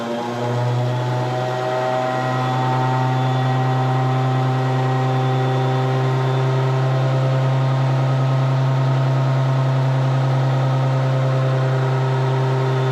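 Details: 1970 Johnson Skeehorse snowmobile, two-stroke, loud original muffler, started via solenoid button where the starter spins a second before engaging: loud, steady two-stroke fast idle with hard buzzing exhaust; starter hesitation not heard here; delayed starter engagement.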